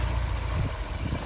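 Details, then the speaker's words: 1988 Porsche 944 with new fuel pressure regulator and DME temperature sensor, AFM just plugged back in: low, uneven idle sagging and stumbling, wants to die; owner suspects massive vacuum leak or dying AFM. "Kate just wanted to die so my thought is either I have a massive vacuum leak somewhere or a have a dying afm"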